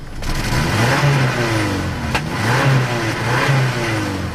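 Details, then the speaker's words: Subaru Outback after banging the gas tank to temporarily free an intermittently failing fuel pump: idle smooth, revs cleanly on throttle blips with no stumble; pump to be replaced. "good throttle response. So that took care of the problem."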